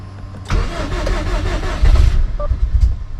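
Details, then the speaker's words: Subaru STI first start after rebuild, almost out of gas: brief cranking, then it catches and settles into a rough but steady low idle; check engine light on, owner suspected an exhaust leak; normal first start. "it tried oh she's running guys"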